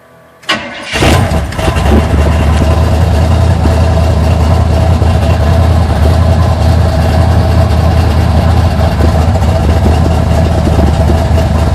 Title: 1980 Sierra C15 Junkyard L31 Vortec 350 Summit K1107 488 510 Lift Cam Cold Start Rough Idle